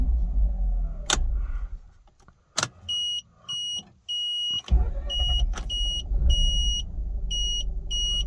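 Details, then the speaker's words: 2006 Mazda RX-8 rotary, fully warm hot start on petrol after new uprated starter fitted (previously struggled with hot starts; owner suspects worn apex seals): brief, swift crank catches almost at once into a steady idle with warning chimes; healthy starter. "again that was that was brilliant it sounded really good um i wish i'd recorded how the old starter sounded um but it didn't sound nice and that sounds real swift"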